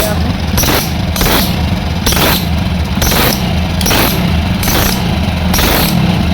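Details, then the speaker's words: Hero Passion Pro single-cylinder, kick-started with no battery fitted; idle with sharp hissy phut-phut chuffs about twice a second from a fully leaking head gasket, wet oil seepage visible below the head and compression weakening. "तो ये sound क्या का है दोस्तों, यहाँ पर जो है हेड जो है इसका पूरा तरह से लीक है।"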